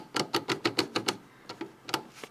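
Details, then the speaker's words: Porsche 924 with clonk when accelerating, driveshaft inner CV joint worked by hand, microphone very close: sharp dry clicks, about six quick then slower, joint moving into a groove; worn inner CV joint, outer joint fine. "And it's also moving just a little bit into what feels like a groove. It's not supposed to do that. The outer joint is not doing it, but only the inner joint."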